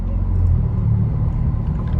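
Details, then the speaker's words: 2019 Honda Civic natural gas (CNG), 149,000 miles: deep, loud, unmuffled rumble at idle and while shifting; owner suspects the catalytic converter is missing or the flex pipe has come off. Loud exhaust. "It sounds like catalytic converter fell off of it."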